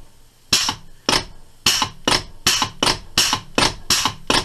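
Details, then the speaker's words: Metropolitan Vickers/GEC 1927/1955-type electro-pneumatic unit switch (motor group switch from U2), after servicing, on shop air with 120 V DC test supply: crisp sharp air-operated clacks about every half second, ten in a row, closing cleanly; normal operation. "switch it on and then test the electrical side [Music] say that's working quite nicely"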